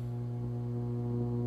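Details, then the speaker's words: Device with a dirty power supply, after an extra filter capacitor was added: a steady low hum with buzzy overtones. Noise is about halved; an old capacitor may explain some odd noises, and ripple is still heavy. "so the noise has gone down by probably half because of adding another cap but right there that is a good sign of how dirty my power supply is"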